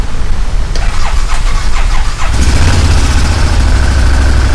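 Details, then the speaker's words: 2015 Massimo Militia 1000 UTV after replacing crankshaft position sensor (right side of motor) to cure no spark: brief cranking, then catches and settles into steady, even idle; starts and runs normally. "Let's go ahead and see if this thing fires off now with that new crank sensor. Whoa! Oh, she's running."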